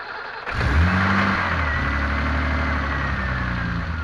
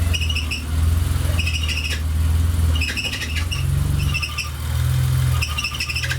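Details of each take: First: BMW M30B35 petrol engine on a road test after power steering pump bracket was rebuilt to properly tension the belt: runs steadily with steering at full lock, no belt squeal that previously occurred at full lock and in wet weather. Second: BMW M30B35 engine idling: high chirpy squeals in bursts from the loose power steering pump belt, worse in wet weather and at full steering lock; tensioner bracket teeth worn so belt cannot be tightened.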